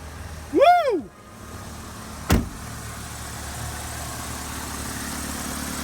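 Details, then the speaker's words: Saturn in limp mode after ECU reset and rubber removed from the throttle blade: brief squeak and click, then quiet steady low idle with no misses, surges or knocks; engine runs healthy. "oh man okay we got one working car thank God the Accord may be dead but this one works"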